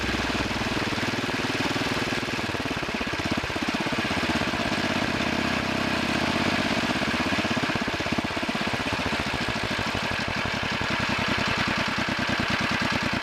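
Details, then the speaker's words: Two-engine Wheel Horse garden tractor, both engines running after one carburetor main adjusting screw was turned a little more than half a turn: steady, even putter with the puffing gone. Normal running. "bit that sounds good now now the puffing noise is [Applause] gone"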